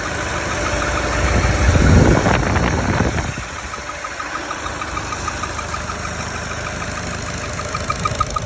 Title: Opel Meriva B Motor Geräusche Klackert Klappern Ursache?